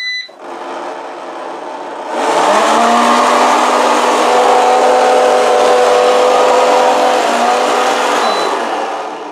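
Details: Eufy RoboVac 30C robot vacuum, reported as very noisy; start-up beeps, then a loud, harsh whirring roar with a gritty rattle from the suction fan. The fan appears to have something rattling around inside it.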